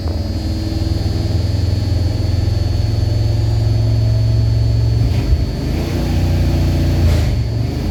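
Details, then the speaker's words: Old Dodge 4x4 swapped from 318 to a modified carbureted 360 LA small-block V8 with a mild cam, sat a week, started instantly, still a little cold: deep even burble with lumpy cam note and clean blips; normal cold revving. "you can hear that cam in there it's not super radical you can hear it"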